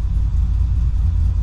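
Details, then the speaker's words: Cammed, rebuilt LS1 SS Commodore: starts without throttle, deep steady rumble with even cam chop at about 850 rpm, no misses or stumbles; healthy idle. "Okay, listen to that chop. Hopefully you can hear that chop from that cam. That is really good."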